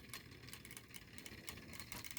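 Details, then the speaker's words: 3D-printed Newman pulse motor, smaller prototype about 40% scaled, at 2.3 volts: quiet soft ticking pulses a few times a second over low hum, still turning steadily; normal running at low voltage. "2.3 still going that is nice"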